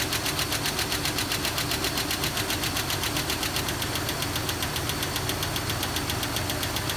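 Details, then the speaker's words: 2001 Jeep Cherokee XJ on a cold start: crisp, even ticking at idle, which the owner suspects is a lifter toward the back of the engine. It fades as oil comes up. Engine Restore additive was tried as the fix. "it eventually goes away which i think it's a lifter sounds like it's in the back going away now that the oil is coming up in it's gone"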